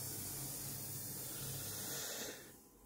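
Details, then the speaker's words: Active class-D speaker cabinet connected by balanced TRS cable, volume turned up: constant loud white-noise hiss, no hum, fading as volume comes down; with nothing connected it was silent, cause unknown. "this is not a humming it is a hiss actually it's a white noise"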